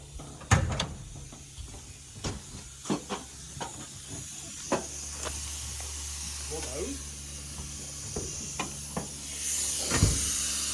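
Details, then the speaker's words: 1979 Mercury Capri Turbo RS, 4-cylinder turbo, hot after road drive with no temp gauge: steady steam hiss under clunks and rattles; coolant leak from split hose. "Oh yeah, the hose split."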